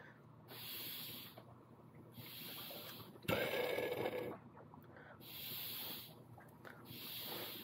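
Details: Jeep Grand Cherokee WJ hydraulic fan power steering system refilled after radiator and timing cover reseal, fluid drawn down through funnel: quiet rhythmic hissing slurps and gurgles about every second and a half; air gurgling through the hydraulic system while bleeding.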